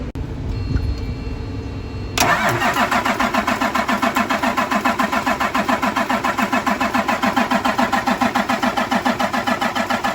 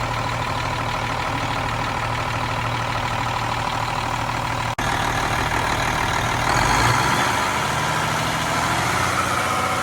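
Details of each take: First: Cummins M11 diesel semi truck after fuel filter change and new fuel lines, during priming: steady starter cranking about three and a half beats a second, never fires; air still in the fuel system. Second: Cummins M11 diesel semi truck after fuel system priming and bleeding: steady even idle, then a few clean revs to get fuel flowing, settling back; running healthy, no more air bubbles.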